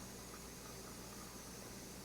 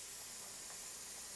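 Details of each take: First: but it is still not ready because this is more like water sputtering and not actually steam Second: Pressure canner with its vent pipe fully open: a steady, even hiss of steam with no sputtering, the point at which venting is timed for 10 minutes.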